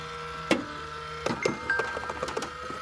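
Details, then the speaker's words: Xbox 360 rear power supply (power brick) making a strange noise while the console powers on and works normally: thin steady whine with a higher tone above it, broken by a few sharp clicks and knocks; abnormal PSU whine. "Que é esse problema aqui da fonte, da fonte aqui atrás. Ela faz um ruído, tipo, um ruído muito estranho."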